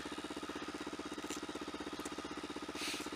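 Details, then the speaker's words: Motorcycle warming up on a cold winter startup: steady idle with a rhythmic buzzing throb about four times a second. The vibration occurs only on startup and its cause is unknown; the headers need replacing. "I'd love to know what that vibration is. Don't know if you can hear it."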